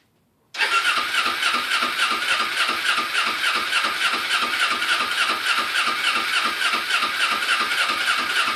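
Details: Kawasaki Ninja 250R dual-carb motorcycle just after carburetor cleaning, battery charged and fresh fuel: engine catches instantly and settles into a quick, steady idle of about three pulses a second, no stumbling or hunting.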